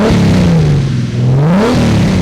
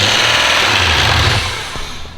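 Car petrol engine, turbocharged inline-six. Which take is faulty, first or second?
second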